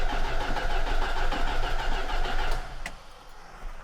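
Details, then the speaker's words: Old collector car, tank giving varnish smell, half gallon of gas added, remembered fuel problems: even cranking about three strokes a second under three seconds, never catching; no gas visible in fuel filter; crank no start, no fuel delivery. "Let's see if we have any in the fuel filter. Does it have a fuel filter? Maybe. Oh, yeah, it does. Don't see any gas in there yet."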